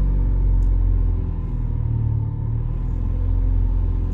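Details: Honda EK Civic D-series engine, warm, after rerouting an exhaust sensor and burping the cooling system for a surging idle: low idle rumble dips then swells; surging seems to settle itself, owner suspects codes need clearing.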